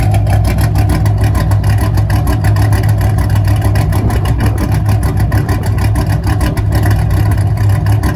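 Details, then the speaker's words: 5th-gen Camaro V8 after broken-piston repair, DOD/AFM delete and Texas Speed 224R cam, on half a tank of super: deep, loud, lumpy rumble holding steady without dying or loading up; cammed engine idling normally. "the cars seems to be driving fine it's uh it's idling it's not turning off it's not loading up"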